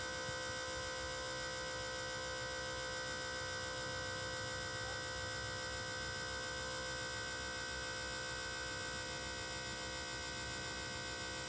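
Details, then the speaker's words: 600hp 6.0 Powerstroke with aftermarket regulator, idling after being driven, had long cranks before starting: steady electric lift pump hum with a high whine that wavers intermittently, fuel pressure dipping when it happens; cause not yet known. "and it's kind of intermittent um now I do as yall know I have a regulator to turn on this truck as you hear the pump again"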